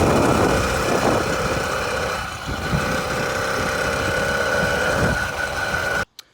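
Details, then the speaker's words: 49cc two-stroke motorized bike engine on a Granite Peak mountain bike, running after a tilted carburetor that blocked fuel was fixed: steady fast even buzz with a high exhaust note and no misses; running properly. "it takes a couple seconds for it to get running but once it's running apply a little more throttle to ensure that it's working"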